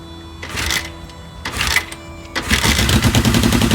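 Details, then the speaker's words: 1980 Kawasaki KZ650, restarted after months unused in cold weather with a new regulator rectifier: uneven bursts of revs with irregular pops, sputters and backfiring instead of a steady beat; runs rough, owner thinks it just needs a tune. "It's running a little rough now. You can hear it sputtering and popping and backfiring a little bit, but just needs a little bit of a tune and I think we'll be good to go."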